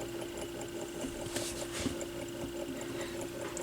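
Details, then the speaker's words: AR XB turntable being revived: steady motor hum with a faint uneven tick under twice a second; motor is noisy with no torque and barely spins the platter, the pulley is loose, dented and wobbling on the shaft, and the shaft may be crooked. "oh listen to that motor noise that's wonderful that doesn't sound good does it and there's no this has no torque to it whatsoever"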